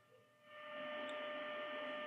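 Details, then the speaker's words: Grundig 2147 radio during AM IF alignment after recapping, signal generator test tone: steady mid-pitched tone after a click with static hiss underneath; signal too weak, so the AGC probably isn't kicking in. "i can hear it but let's just make it a little bit stronger that's about right so i can discern the signal but i've got some static which means that the agc probably isn't kicking in good"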